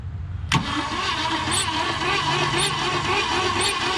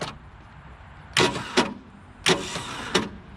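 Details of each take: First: 1966 Ford Galaxie 4-door junkyard car whose engine was stuck, freed by the starter, with WD-40 sprayed into the cylinders: starter cranks evenly at about four compression pulses a second, turning freely without binding or clunks. Normal cranking. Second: 1966 Ford Galaxie 4-door from a junkyard, first start attempt with loosely connected battery terminals: starter clunks harshly in pairs but seized engine won't turn over, then moves slightly and comes unstuck.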